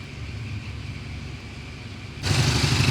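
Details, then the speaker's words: Triumph Bonneville twin idling warm after an attempted theft: fast and restless at about three beats a second, never settling to a steady thud; owner can hear and smell it running too rich, revs possibly too high; suspected, not confirmed. "It's running too rich. Possibly the revs are too high. It's just a bit too frantic. It doesn't settle down into a nice little thud, thud, thud."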